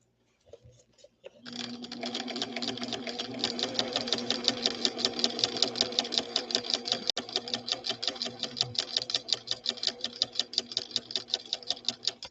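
Fast, steady clatter of knocks, about three a second, persisting throughout the run; abnormal thumping inside the machine.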